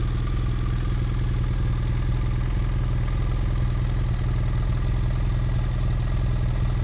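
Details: 2010 BMW F800GS twin idling hot with a steady, fairly even tick about three per second over the low hum; abnormal engine noise when hot, cause unknown, owner suspects valves or piston.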